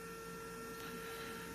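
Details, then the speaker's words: Musical whistling kettle on the stove, reed whistle in the spout cap after cleaning: faint, steady thin whistle that never reaches full voice; owner suspects too little water and low pressure, and the fix did not last. "Короче гуде тихувато може то що мало води Там і малий тиск"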